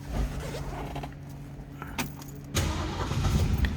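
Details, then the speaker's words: 1965 (1964½) Ford Mustang coupe, two-owner car: starter cranks briefly, V8 catches at about two and a half seconds and settles into a steady low rumble. Normal start. "On the interior, so let's go ahead and fire this up so you can hear it run."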